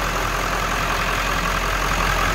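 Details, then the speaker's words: 1997 Ford F350 XLT crew cab 4x4 with 7.3L Power Stroke diesel, heard with the hood open at the engine bay: even, steady diesel idle clatter with a smooth rhythm, no misses or knocks; healthy engine. "Diesel runs good, sounds good. Slip around to the back so you can hear this. Take a look at the exhaust. Not smoking. Good sounding truck."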